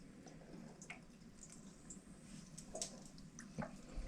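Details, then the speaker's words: Toilet keeps running after flush: faint steady trickle with scattered drips as water keeps moving into the tank and bubbles keep rising; flapper looks in good condition, plumber suspects a faulty fill valve and recommends replacing fill valve and flapper. "so that that is the flapper but it looks like you do have an issue with your fill valve too see how the bubbles keep coming up so it looks like you might have an issue with the fill valve"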